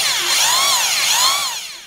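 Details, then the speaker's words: 550 W hammer drill after replacing old grease that had turned liquid with age; run in reverse, smooth, even high whine swelling and easing with the trigger, no grinding or rattle, smooth as new; normal running. "Smoothly sound আছে, দেখলে বুঝতে পারবেন। শুধু হ্যামারে দিচ্ছি, এবারে নর্মালটাই চালাতে দিচ্ছি।"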